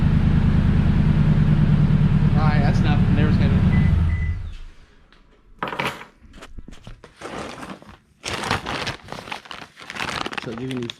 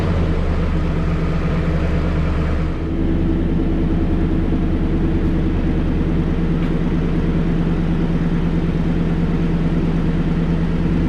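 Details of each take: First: 2016 Toyota Tundra Platinum 5.7 iForce V8 with muffler removed before Corsa exhaust install, cats only: loud, deep, throaty idle with steady low pulse for four seconds, then shut off; open exhaust without muffler. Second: 2016 Toyota Tundra 5.7 iForce V8 at first start-up after installing a Corsa Performance stainless sport exhaust: deep, steady burble with even low rumble and no ticking or puffing; leak-free exhaust, normal idle.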